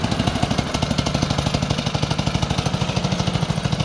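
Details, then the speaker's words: Newly fitted OHV Briggs & Stratton small engine replacing an L-head Tecumseh, belt and chain drive installed, test run: even quick firing beat at steady fast idle, no misfires, knocks or rattles; much smoother and quieter than the old engine. "I had to cut the keyway on the shaft a little bit farther in towards the engine but it's smooth as heck this engine is much much smoother than that one much quieter"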